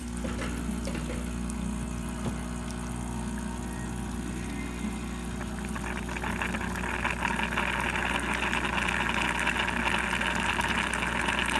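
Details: Nuova Simonelli Musica espresso machine after OPV pressure adjustment, dispensing hot water: steady low pump hum, then a hissy water rush with light sputter as the pump refills the boiler; normal operation.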